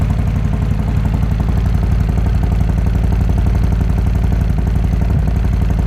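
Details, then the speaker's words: 2020 Harley-Davidson Road Glide Special, Milwaukee-Eight 114, stock cam, stage 1 with D&D 2-into-1 exhaust, Arlen Ness air cleaner, Fuel Moto tune; cold idle before S&S 475 cam install; deep lumpy evenly paced V-twin thump, no ticking or clatter, healthy. "I'm gonna go ahead and give you guys a cold start of what this 114 sounds like stock with just the stage 1 2-in-1 D&D pipe, the Arlen Ness air cleaner, and the tune by Fuel Moto."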